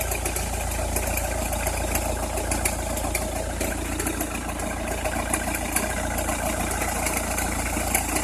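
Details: Opel Meriva, cold engine at idle: irregular crackling and ticking over a steady low hum, only when cold or at very low revs, stops once warm; noise localised to one side, cause unknown.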